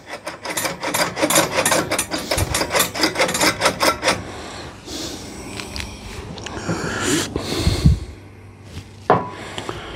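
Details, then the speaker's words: Simplicity 520 single-stage snowblower auger actuator control cable, worked by hand before lubrication; irregular dry rasping and scraping with each lever stroke; friction in the cable that would eventually break it, needs lubrication at pivot. "that's not bad but it's really noisy now you won't hear any of that noise when it's running but all those sounds are friction"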